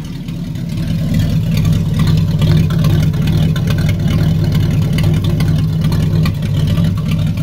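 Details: 1964 Impala 283 V8 running on open exhaust manifolds, muffler removed: loud, choppy, somewhat lumpy rumble; existing exhaust leaks noted, engine runs rough and needs a tune-up.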